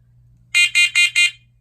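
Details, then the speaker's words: OneLink battery-operated smart smoke and carbon monoxide detector test. Four loud, evenly spaced high-pitched beeps over a faint room hum are the carbon monoxide test signal; the alarm is working. "a sample of what it sounds like when the smoke and carbon monoxide detector goes off on the battery version."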